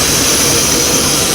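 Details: 1993 Mercury Cougar at idle with a massive vacuum leak: loud, steady jet-like hiss over the faint engine. The car also has a no-heat complaint and a water pump job.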